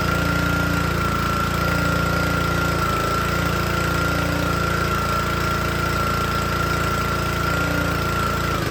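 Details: Troy-Bilt log splitter, small Honda engine driving the hydraulic pump, first start with a wavy, wet-looking air filter: it runs fine unloaded but chugs, lumpy and labored, and wants to die as soon as load is applied. Engine bogging under load.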